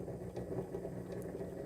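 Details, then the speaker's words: Sewing machine motor on a Sailrite Worker B 100-230V power pack, run from an EcoFlow self-contained 110V battery power system. The motor hum surges unevenly with clear hesitation; the power supply is not delivering steady power. "real hesitation and the way the power is delivered to the machine and the motor you could probably sew with that but don't recommend it"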